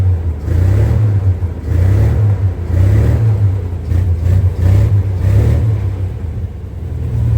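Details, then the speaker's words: 1962 Dodge M37 military truck started after sitting about 45 years, fed from an improvised fuel line and pump, low uneven lumpy idle with surging revs; feels like it's missing on a couple of cylinders, plugs and wires not yet replaced. "Feel like it's missing on a couple of cylinders. I still got plugs and wires to put on it too."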